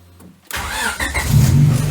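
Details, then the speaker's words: Car named Ronda after new B16 cam belt kit, water pump and tensioner, ignition timing reset with timing light, warmed up: starts at once and idles smoothly and evenly, no misfire; check light out, much better than with timing way out. "check light's gone out, and I think we've both just come to this assumption that this sounds a damn sight better than it was before."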